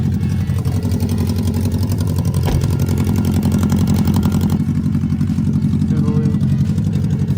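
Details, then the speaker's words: BMW K100 four-cylinder motorcycle jump-started after a dead battery (a new lithium battery was bought): steady, smooth idle with an even low beat and no knocks or misses; healthy. "But yeah, I just needed to jump to get it up and going again. Man, does that sound good."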